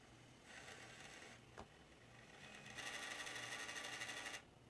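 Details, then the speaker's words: Water-damaged Xbox One X optical drive after laser replacement, now reading and installing discs: bursts of raspy, fluttering grinding about three per second while the disc spins; drive mechanism still making a weird grinding noise, cause unknown. "it is reading now it's actually reading and installing is actually reading and installing now the only thing i'm concerned about though it's that sound it makes that sound"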